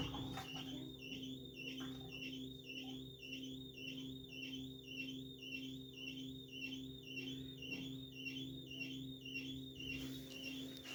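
A high chirping squeak repeats about twice a second over a steady low drum hum, a squeak tied to drum rotation.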